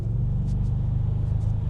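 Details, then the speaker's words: Audi S5 V8 fully warm at 90°, acceleration test: deep, even rumble with steady low firing pulses, smooth with no knocks or misses; the engine is healthy. "that's such a cool car you really can't beat the V8"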